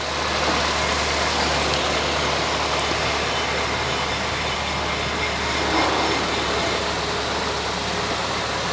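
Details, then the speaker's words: Kia Ceed GT-Line, ex-flood car, first start after repair with engine and gearbox refitted: starts straight up, no warning lights, quiet even idle with smooth steady hum and no knocks, ticks or hunting; healthy. "started straight up there's not even a warning light on and she's running it's running really well actually sounds good oh she sounds really quiet"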